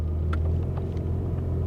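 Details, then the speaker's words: 1988 Chevrolet Cavalier Z24 at idle, rear defrost switched on: a steady low idle rumble sags slightly as the electrical load comes on, then holds even, a normal idle under electrical load. "oh I heard that I kicked on the rear defrost and you could hear the engine"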